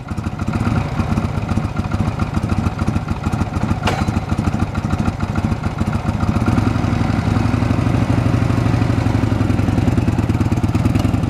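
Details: 1979 Harley-Davidson FLH Electra Glide at about 20,000 miles, after a top-end rebuild (new valves and rings) to fix heavy smoking, low power and a clack on deceleration: an even, loping V-twin beat building smoothly, with no clacking. Running healthy.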